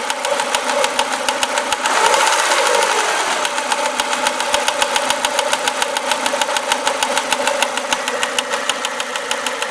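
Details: Renault Clio RS engine: crisp even ticking about three per second over steady idle; light metallic tick, cause unknown.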